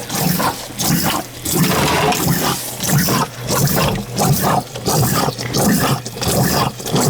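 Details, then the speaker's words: Heat pump not working: a recently installed basement condensate pump runs nonstop and won't shut off, with watery surges and clicks about one and a half a second; it is failing and needs replacing. "It's not shutting off. Needs a pump."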